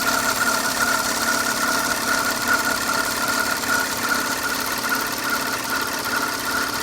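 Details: Audi A6 C6, 2005: steady idle with a faint, fairly regular light ticking around 150 per minute over the engine hum; abnormal engine noise at idle, source unclear.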